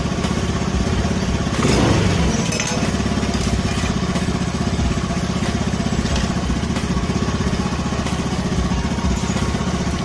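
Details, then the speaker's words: Honda Spacy carburettor scooter after idle adjustment and trimming the slide vacuum part, fixing unstable idle and stumbling: engine settles into steady, even idle after a brief blip, no hunting; runs normally. "kita dengarkan gas e udah stabil ya guys ya Oke skep sudahudah mulai bekerja ya bekerja normal sesuai dengan e bukaan yang kita gas ya guys ya"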